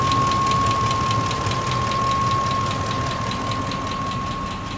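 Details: 2004 Ford F-150 XLT Triton at idle: sharp even tick about four times a second over the engine, started suddenly after running well; top-end tick, cause not found.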